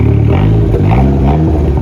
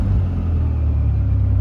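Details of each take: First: SRT4 after cleaning the throttle body, new gasket, replaced IAC, warming to temp: sharp throttle blips climb quickly but revs linger high before drifting slowly back to idle; owner found the vacuum leak. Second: SRT4 petrol engine with 3-inch exhaust and downpipe not yet fitted, after throttle body cleaning, new gasket, intake refitted and a vacuum line resealed: deep steady exhaust rumble settling to an even idle. Revs no longer hang; normal return to idle.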